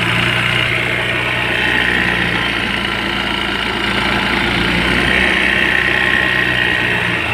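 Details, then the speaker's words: Brand-new Honda ADV scooter, one day old, 41 km: loud rough rattling clatter and faint whine from the CVT at idle, with strong clutch drag and vibration. "so isang araw pa lang to ganito Kaingay yung panggilid tapos Napakalakas ng dragging nito mga tropa lakas pati ng vibrate"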